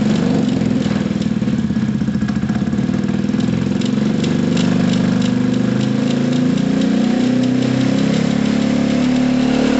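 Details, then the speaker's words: Gilera DNA 125 scooter idling very low and rough, with slight wavering, and it will not take any revs; soft rattle heard is a loose rear brake pad. "so guys it's idling you know it's it's idling it's running on very low revs it doesn't like any revs at all"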